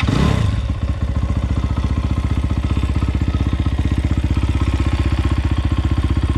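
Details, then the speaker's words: 2020 SSR Motorsports SR300 single-cylinder dirt bike with newly installed Lectron carburetor, first start; slightly rich with choke on, brief blip then steady even low thumping idle while idle is tuned by hand. "choke was on explaining why it was a little rich man that sounds good i'm tuning the idol by hand"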